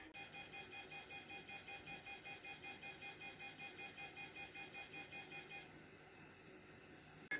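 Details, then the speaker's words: 52-year-old computer's magnetic core memory heard via bat detector during CT reconstruction, slower non-unrolled reconstructor tuned to slightly lower ultrasonic frequency: rapid evenly pulsed high tone, briefly pausing; normal memory access noise. "and this is the slower reconstructor that doesn't have the unrolled loop and to hear it we have to tune to a slightly lower frequency on the ultrasound so I think that proves that this is indeed uh the axis of the memory that we're hearing in ultrasound"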